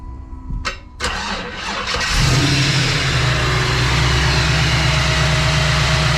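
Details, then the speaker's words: Third-gen Camaro, boosted, after fixing vacuum line to fuel pressure regulator and blow-off: cranks, catches after about two seconds and settles to a steady even idle; normal idle. "okay yeah i saw the regulator it moves when he throttles it it gives you actually more pressure on the fuel now that [ __ ] works back then it didn't make that noise"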